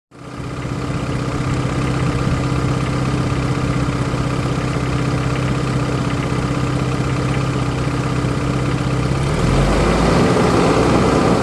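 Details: 1993 Geo Tracker at steady idle with an off-rhythm clattering knock repeating about four times a second. Owner suspects rod knock, not confirmed.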